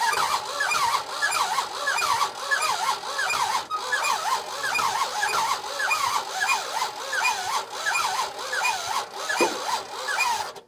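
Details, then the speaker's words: Monaco barn find sitting for decades, last attempt to start: slow, heavy, straining cranking with scattered weak firing on a few cylinders, won't catch; very low compression, owner suspects rings stuck from sitting, with heavy resistance to turning over. "just so close to kicking you know it's firing on a few cylinders but we get such weak compression so that's not helping but it just seems like there's so much resistance"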